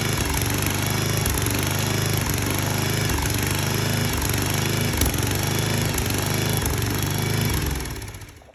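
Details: 34-ton log splitter's small engine, running after fuel line blown clear and brake cleaner used to start it: steady, even chugging for several seconds, then winds down as it shuts off; normal running.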